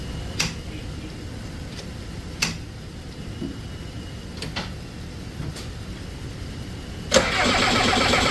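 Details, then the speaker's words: Diesel skid loader at 22°F being bled of air in the fuel lines after water was suspected, one injector not getting fuel: slow, steady cranking with sharp clicks and no firing until it suddenly catches; air in the lines was the cause. "So we keep opening it up, bleeding it. We just got some fire for the first time. We're gonna see if we can get her to keep going. For some reason, we're not getting fuel out of this injector."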